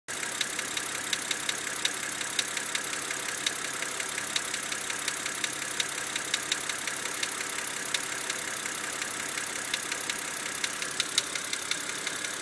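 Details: BMW engine under warranty, suspected binding HVA (hydraulic valve adjuster) lifter element: idling with a steady, sharp ticking about three per second on top; sounds like a sticking lifter, cause suspected, not confirmed.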